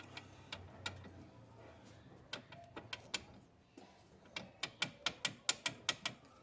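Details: Fiat Marea suspension rocked by hand: sharp metallic clacks from a worn stabilizer link with play; the CV joint is also bad.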